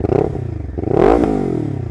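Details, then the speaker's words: Lexmoto LXR380 single on loan, fitted with Lextek full performance exhaust and replacement ECU, at tickover then revved: crisp idle, clean rev rising and dropping back to even idle, no misses; sounds completely normal. "sounds completely normal nice"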